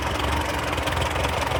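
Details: TO35 tractor at idle after the fix; smooth, steady beat with no more loud ticking or tapping; normal idle.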